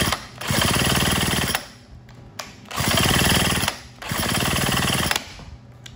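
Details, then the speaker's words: Craftsman WS210 trimmer with a new carburetor, its bulb and diaphragm parts moved onto it, climbs to a buzzy rev in short bursts, stalls there and drops back. It will not rev to full throttle; cause unknown. "we've got the weed eater running except it won't throttle all the way up so I'm not sure what's going on with that"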